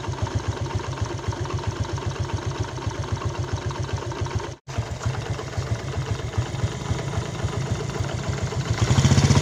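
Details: Yamaha Jupiter Z Robot single idling at a quick steady beat with harsh mechanical clatter over it; rough engine noise, cause under analysis (one-way clutch swapped for a Vega ZR part).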